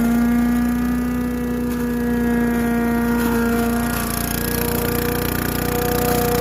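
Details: Craftsman Eager 1 4hp chipper vac (987.799790) vacuuming long wet grass with bag fitted: single-cylinder steady even drone with whirring fan note under load, nothing wrong heard. Normal running.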